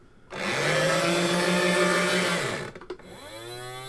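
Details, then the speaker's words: Sega Action GT VHS video driver console after cleaning old grease and regreasing. High motor whine over a harsh grind that drops and cuts out, then winds up again. The gearbox still jams, possibly worn or badly made. "And after all that work, it still gets stuck. I'm going to nudge. It seems to correct itself, but I don't know if that's even actually worse."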